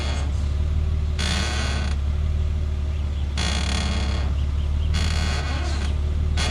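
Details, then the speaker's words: Lexus GS at idle, steering wheel turned slightly: drawn-out creaky screeches in bursts over a low idle hum, from passenger-side front suspension; worn upper control arm bushings, fixed by replacing both upper control arms. "when you turn the steering wheel very slightly it makes that annoying annoying like screeching sound that it was just it was just driving me crazy for the past what two or three weeks now"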